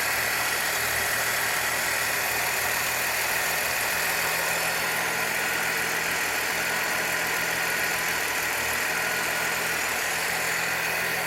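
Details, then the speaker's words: 1966 Chevrolet C20 with 292 inline-six, first start on 5 gallons of fresh gas, still cold: steady even idle but running a little fast, no knocks or misses; timing and carburetor still to be set. "It's running a little fast, but we're going to let it warm up, and I'll put a timing light on it, and we'll get the timing set, and then we'll adjust our carburetor."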